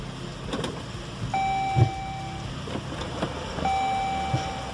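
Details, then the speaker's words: Fiat Freemont at quiet idle: a single dull low clunk shortly after the reverse chime, once per shift between reverse and drive; customer complaint, suspected suspension, source not yet found. "Ele falou que quando dá ré e vai pra frente, ela dá um cleque."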